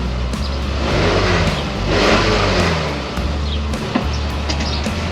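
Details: Car exhaust at idle after repairing the rusted catalytic pipe flange and donut gasket: steady, even low drone with no ticking or puffing from the joints under background music; exhaust sounds sealed and healthy.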